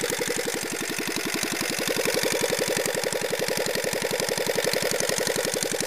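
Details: Petter AA1 single-cylinder diesel, said to have a reconditioned injector pump: it idles with an even, regular thump of about 220 beats a minute and no misfires. Normal healthy idle.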